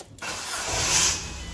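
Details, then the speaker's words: Ford Fiesta Titanium 1.4, Cat N salvage rebuild, heard on start-up: harsh dry scratching screech over about a second of cranking; starter motor failing but still starts the car. "well those that you know those of you know in the know that is the starter motor it hasn't actually completely gone because the car starts obviously um but it's starting to screech and scratch"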